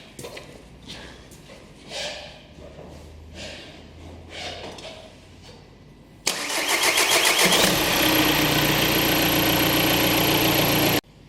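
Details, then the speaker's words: 2014 VW Golf 2.0 TDI EA288 diesel, second start after running: brief crank, fires immediately into steady even idle; long first-start crank (over 3.5 s, codes P0341/P0016/P0011) absent on restart, fuel pressure confirmed present on high side. "So long crank time confirmed. It actually took a lot longer than I expected. Longer than the 3.5 seconds I had seen before. The second time it starts right up."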